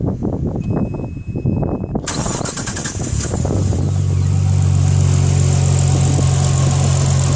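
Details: Nissan RB25DET engine cranks, catches and settles into a steady idle with a thin constant whine over it; source not pinned down.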